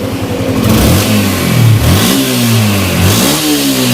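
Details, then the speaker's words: Yamaha Exciter motorcycle engine after repair, with the crankshaft bearing replaced, blipped through a few revs; smooth and even with no knocking, now quiet compared with the loud noise before repair. "เปลี่ยนลูกปืนข้างข้อก็ตอนนี้ก็เสร็จเรียบร้อยแล้วฟังเสียงเครื่องได้เลยครับ"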